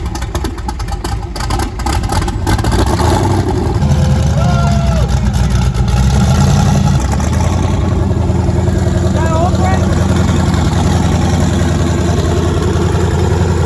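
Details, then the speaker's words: Twin-turbo LSX V8 in a 240SX, first start on Holley Terminator X base tune; starter cranks a couple of seconds, then catches and idles steadily, hitting on all eight; a coolant leak and a small fuel leak noted. "hitting on all eight right off the rip"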